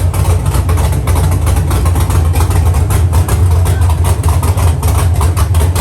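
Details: Dropped Chevy truck, cammed 5.3 V8 with Texas Speed 232/234 110 LSA cam: loud lumpy idle on open headers, choppy lope, firing steadily with no knocks or misses; sounds healthy.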